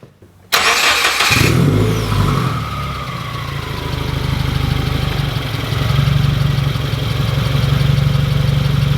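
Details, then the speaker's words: Subaru WRX with a Tomei cat-back straight-pipe exhaust, heard from underneath as the engine starts and settles to a fast idle: a tinny rattle as the cat-back hits near the end of the differential, where the control arms meet. "okay just by shaking it i don't feel any rattle but i do hear some down here and i can see where the tomei catback is just it's hitting on the end of the drive train down here"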